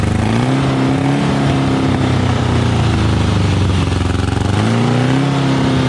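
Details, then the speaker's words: Volkswagen Beetle flat-four under a Model T kit-car body, sitting about 30 years, running without a proper carburetor, started with help: loud drone whose pitch sags and surges unevenly, hunting, won't idle steadily. "it's not gonna idle right till we get a carbureted on it but we will be at least able to hear it run"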